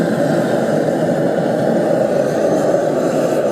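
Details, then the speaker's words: Gas forge burner after the gas leak was fixed, air control turned on for a blue flame, gas not at full pressure: steady, even rushing roar with no sputter, popping or surging; normal burner roar, burning beautifully. "Turn it on, we've got a blue flame. Right? And there we have him. Burning beautifully."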